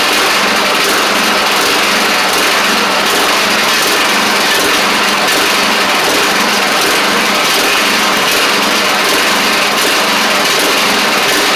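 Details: Craftsman DYT4000 riding mower after sitting about 2.5 years, started with only fresh gas and a little choke (choke was stuck): buzzy small engine holds steady speed with gentle rhythmic pulse, no misses or knocks; sounds good. Normal running.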